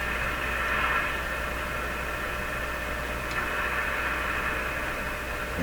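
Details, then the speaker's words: RCA Victor A23 tube radio with weak shortwave bands: a steady low 60-cycle hum sits under the hissy audio with signal generator input; cause not yet traced, possibly an open grid picking up interference. "so I didn't talk about this in the last video so there's a kind of hum in there"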